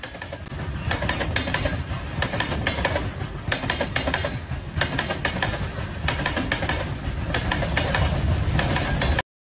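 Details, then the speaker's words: Inside a moving train: loud low rumble with loose, uneven clacks as steel wheels cross small gaps between rail sections, plus steel clatter; normal running noise, nothing faulty. "Rail की पट्टियां की बीच में थोड़े से gap के कारण पहिए उनके ऊपर से गुजरने पर खटखट की आवाज करते हैं"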